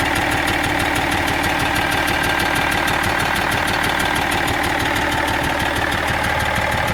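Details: BMW 330d E46 diesel at steady idle: regular ticking clatter roughly three beats a second over the engine; abnormal noise no mechanic has been able to locate.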